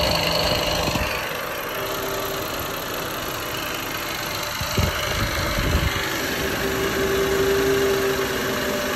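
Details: Ford FG Falcon at idle once warmed up; light, steady ticking knock about three to four per second, lifter-like but seeming to come from below the valve train, only after the engine heats up; source not pinned down.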